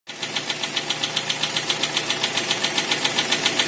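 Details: Kia Sportage SL: sharp, very regular metallic knocks about four per second over the idle, a serious internal engine knock pointing toward an engine rebuild.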